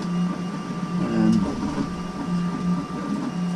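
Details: CEL Robox dual-filament 3D printer after fixing a filament jam: short even motor whirs rising and falling in pitch over steady hum, no clicking or skipping; printing normally.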